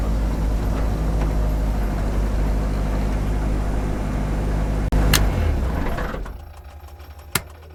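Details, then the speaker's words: Ford Blacktop engine turbo setup, just after a MAC boost-control valve was fitted and boost turned up in open loop: rough idle with a rattly metallic whir lingering as the engine shuts down; turbocharger destroyed, nut apparently off the impeller. "that's a turbo yeah that's the turbo cuz as I turned it off you could hear it hear it destroyed the turbo boys and girls"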